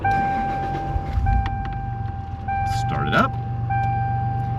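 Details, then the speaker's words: 1998 Toyota 4Runner SR5 4x4, 5-speed manual, Magnuson supercharger, about 193,000 miles, new battery: thin steady electric buzz at startup over idle from the ARB locker air pump cycling; normal. "there on start up that little buzz. That's the pump for the ARB system."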